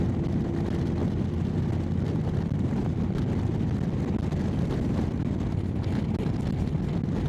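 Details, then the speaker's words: Motorcycle after replacing the failed exhaust gasket, test ride at a 100 cruise: steady even low drone under heavy wind rush, no puffing or ticking; leak fixed, sounds like the other pipes. "Well, cruising speed's good. It's really no different to the other pipes."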